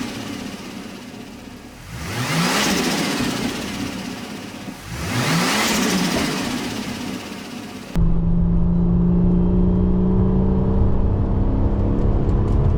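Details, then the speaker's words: Ford FG Falcon XR6 Turbo after fitting a turbo-side intake and relocating the battery, with the factory intake muffler and piping removed: two quick throttle blips with a loud rushing intake whoosh, then a steady idle. Normal revving with loud intake noise. "It should sound very dosey because you're going to get so much more air intake sound because we've taken that massive muffler out and all that piping out."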